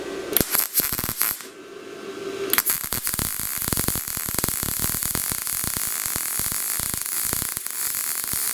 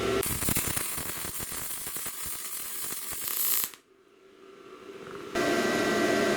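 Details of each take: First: Best Arc MIG 145 welder on 220 V with 75/25 argon-CO2 gas at 7–8, welding about 1/16-inch thin sheet on cold steel at 90 amps: dense frying crackle with frequent sharp pops, arc running slightly hot, no blow-through; to be turned down to 80 amps. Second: Bestarc MIG 145 welder welding steel slightly thicker than snowblower sheet: steady crackling sizzle, a pause, then even again; normal MIG welding arc, wire speed set automatically from amps.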